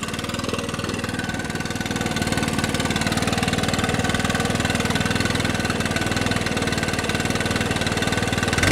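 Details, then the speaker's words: Stihl BR600 backpack leaf blower after adjusting the hidden throttle trigger set screw to reduce trigger slop: steady, even high-revving drone holding strong at full throttle; throttle now engages sooner and reaches full power. "It's definitely mashing the throttle much sooner as I depress that throttle trigger, and it seems to be getting that full throttle out of it now."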